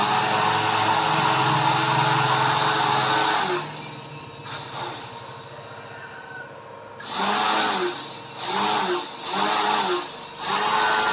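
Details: Homemade blower built from a used dynamo motor, powered by a 12 A transformer turned to maximum: an even high-pitched whir with a steady airy rush, cycled on and off; formerly very noisy, now smooth and quiet with strong airflow.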